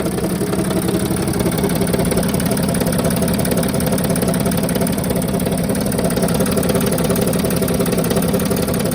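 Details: 2007 NCV3 Sprinter, 3.0L OM642 diesel, accessory belt removed, noisiest injectors already swapped. Idle clatter about three knocks a second with rattly chatter; owner suspects gear chatter in the bell housing (maybe torque converter), an exhaust leak and injector knock.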